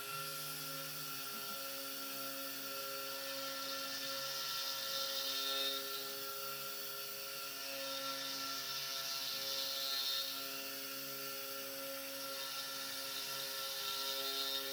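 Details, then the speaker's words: SX2.7 mill conversion with NSK ATC spindle, new end mill from the same batch after the previous one shattered: steady clean spindle tone with even cutting hiss swelling gently on the ramp, no crunching or chatter. "This cutter sounds totally different. Same batch. The ramp sounded a lot better too."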